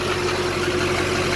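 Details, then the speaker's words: LB7 Duramax diesel pickup, newly installed resonator exhaust with clamps, heard from underneath checking for leaks: steady, even diesel idle, smooth low drone, no puffing or ticking from pipes; exhaust sealed, normal idle. "Just give you a quick little peek on the underside and give you a little air test to make sure we don't have any leaks. Sounds good so far under here."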